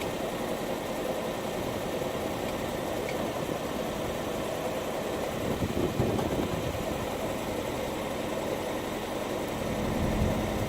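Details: Ford Focus 1.5 EcoBoost, cold idle with an uneven, stumbling beat; misfire usually clears when warm, codes cylinder 3 misfire when the engine light comes on, 3 sets of plugs in 10 months and 6,000 miles.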